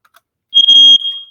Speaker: and that's it that's all that you need to do to test it to make sure that it's working